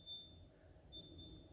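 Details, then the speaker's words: New fridge freezer switched on after standing four hours: a few short, high, steady beeps, which the owner thinks is the alarm sounding because it has not yet reached temperature. "uh i got to listen to it beeps it gets to temperature is there a manual hello is there a manual [Music] at least i know the alarm works"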